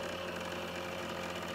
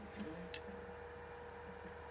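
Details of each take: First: Trotec dehumidifier, about a year old, that has become noisy over time: steady droning hum with a buzzy, vibrating edge. The noise comes and goes intermittently. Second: Trotec dehumidifier after disassembly, cleaning and repair for loud noise: only soft steady fan hum with faint even tone, slight echo; running normally, quieter than when new.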